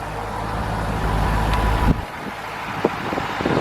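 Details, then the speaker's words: 2001 Chevrolet C5 Corvette engine bay, said to run good and be very quiet: a low, even V8 burble at idle, then quieter with handling clatter; the engine sounds steady and healthy. "it's very quiet and again that's going to change i know i don't like quiet cars"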